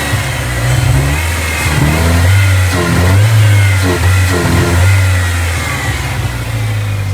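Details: Ford Ranger 2.3 truck revved: surges and sags unevenly, sputtering and bogging instead of climbing cleanly, despite a cleaned MAF, throttle body and air filter and new plugs, wires, coil pack, PCV valve and TPS. A vacuum line was found disconnected. Cause unknown.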